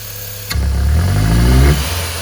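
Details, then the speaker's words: Ford (Fiesta, Ka, EcoSport, Courier or Focus family) losing power, popping and using too much fuel; revs climb slowly and unevenly under hard throttle with faint pops, then fall back: hesitant revving with popping, cause not confirmed. "tá vendo pessoal ele demora muito para desenvolver e dar esses todos"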